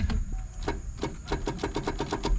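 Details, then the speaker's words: 1989 Ford Mustang 5.0L with a Vortech supercharger, sitting about 15 years, fuel pump running: rapid even solenoid clicking with no crank; the solenoid was found bypassed, with battery positive running straight to the starter. Cause not confirmed. "I hear the solenoid clicking. But actually somebody bypassed this."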